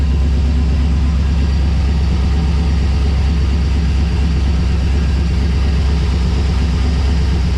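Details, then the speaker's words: LS1 V8 in a 1951 Chevrolet custom on Holley Terminator X Max, cold first-start idle; deep, uneven lope that gradually evens out. Cause unknown, owner guesses wake-up mode; the secondary throttle blades seem to open late. "But but yeah, so she goes, it is starting to even out a bit. Not sure what's going on. Might be in it sort of wake up mode."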